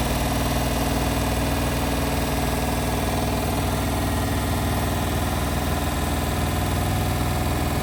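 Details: Indesit WIL143 washing machine on final spin at 1400 rpm: steady deep drum drone with rough, uneven throbbing vibration on top; strange abnormal noise, cause unclear.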